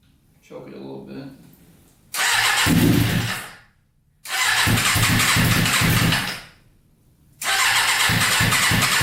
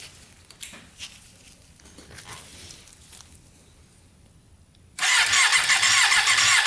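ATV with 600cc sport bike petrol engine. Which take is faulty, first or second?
first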